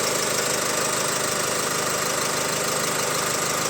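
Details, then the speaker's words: Opel Insignia (about 2020) 1.6 B16DTH diesel with 136,000 km, hot start: a fast, fairly regular chattering rattle about three per second over the idle that won't settle. Timing chain stretch is suspected, with the crankshaft drive sprocket and dual-mass flywheel also considered. "Запускай Вот вот вот это страшная Тема и Не успокаивается глуши её быстрей"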